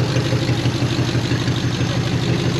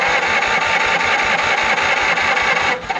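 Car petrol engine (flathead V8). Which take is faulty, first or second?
second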